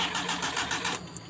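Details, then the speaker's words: Mitsubishi L300 petrol, ignition points and carburettor: rough, uneven cranking for about a second before catching into a shaky idle; hard starting and stalls at low throttle, mechanic suspects unstable ignition current from the points wiring or carburettor. "Ini terjadi susah hidup terus gas kecil mati, Teman-teman."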